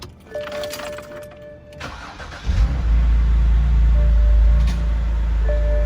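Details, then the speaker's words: BMW 128i restarted after replacing a broken hose and chasing a vacuum leak; after a starter whir it idles with an uneven, lumpy pulse about four times a second; misfire still present, scanner shows cylinder 6. "So, we still we still have a misfire on cylinder 6."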